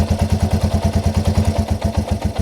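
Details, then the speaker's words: Yamaha TW200 single-cylinder with a vacuum leak created: chuffing idle at about eight beats a second that stumbles, with lean pops on throttle; closing the leak restores normal running. "Oh, did you hear that pop? That's definitely a sign of a lean condition. Hear those pops? Let's close it all the way. And it goes back to normal. And it doesn't take much of a vacuum leak to allow it to run poorly."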